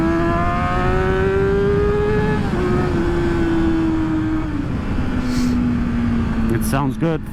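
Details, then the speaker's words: Rebuilt crashed 2012 Kawasaki ZX-6R (600), riding after the rebuild: clean, steady exhaust note climbs and falls smoothly with the throttle, without misses or knocks; the engine sounds good. "But I will say that the engine sounds good, the bike drives great."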